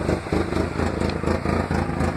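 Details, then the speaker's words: 1996 Ford Ranger 2.3 with known wiring issues and noticeable shaking: the engine spits and misses badly under throttle with uneven dips and skipped beats. It is misfiring and the cause is unknown; the owner wonders about a bad sensor. "spits but it'll start missing really bad but really don't know if you can hear that"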